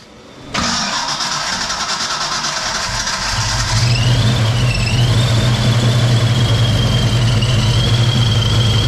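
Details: Project car first start after 11 years: catches sharply, settles into lumpy uneven beat with wavering note as revs climb, stumbling; rough running, cause unknown, compression test planned.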